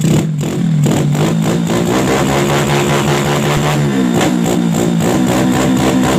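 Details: Yamaha Jupiter Z with bored-up engine and PE 26 carburettor, after widening a carb passage: revs climb and fall cleanly with steady exhaust note, no stumble; previously hesitated on throttle as if fuel-starved, now fuelling properly.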